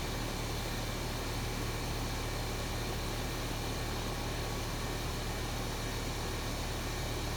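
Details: R22 outdoor AC unit on a no-cool call, after replacing a bad capacitor: a steady low hum under constant fan rush with no cycling, buzzing or rattles. Compressor and fan are running normally.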